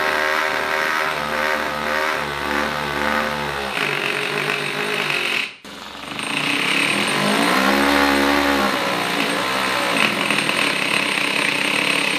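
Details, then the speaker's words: 3D-printed 1/8 scale Supra with small 2-cylinder gas engine, carburetor adjusted and belt slipping from fuel with missing teeth: high-pitched buzzing runs only at high revs, sags and drops out below half throttle; stalls at low rpm. "all right it starts up but it has to stay at the high RPM if it's lower than half it will shut it off I also adjusted the carburetor but it's still"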